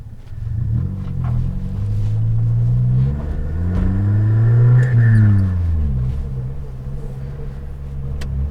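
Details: Suzuki Jimny with the rear silencer (back box) holed and blowing, so it is effectively straight-piped: a loud deep rumble that rises with revs and drones hard on lift-off, making the cabin shake; exhaust leak.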